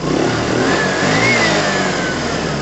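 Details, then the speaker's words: Piaggio Fly 125 scooter, unused since December, now starting: small single revs up and holds a smooth, even drone with clean pitch rise, no rattles or misfires; running well. "perfect running riding bike with oil everything works horns indicators blah blah blah it's all good"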